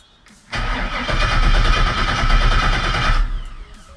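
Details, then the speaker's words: 1966 Chevrolet C10, post-accident rebuild, temporary fuel source, key on: starter spins the engine steadily about three seconds but it never fires. Old fuel pump not pumping, so it is replaced with a new one. "I don't think it's pumping okay so just to be sure we're going to throw the new fuel pump in because the Old One's being kind of a bastard"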